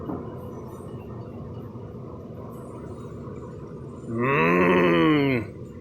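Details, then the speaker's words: High-mileage vehicle (around 300,000 miles) that customer says just started making noise: running noise, then a loud groaning howl rising and falling in pitch from the rear differential, with the ring gear hitting. "yeah that is from the ring gear hitting it jeez just barely started making noise"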